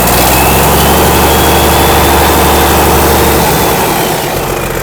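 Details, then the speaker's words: 1963 Mack F600 old diesel, just fired up after checking fuel prime; oil pressure slowly rising through the big filter. Deep, even idle about four beats a second with turbo whistle, no misses or knocks: normal healthy idle. "beautiful absolutely magnificent hear that turbo whistle"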